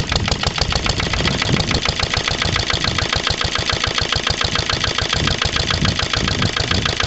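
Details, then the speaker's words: Lister LD1 single-cylinder diesel on a chilly morning of about 5–6°, a month and a half after a fuel filter change, sump flush, oil change and bleeding: it thumps about two beats a second, uneven and clattery. Runs rough; owner suspects an air lock in the fuel lines. "now so you can probably tell from the way starting sight is right at all running next really just isn't right it"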